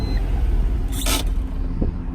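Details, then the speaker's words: 1991 Acura NSX, one owner, 23k original miles, 5-speed manual, Arizona car: brief start-up burst then smooth, even low idle with no misses, ticks or knocks; starts right up, normal. "Let's start it up. See, the car starts right up."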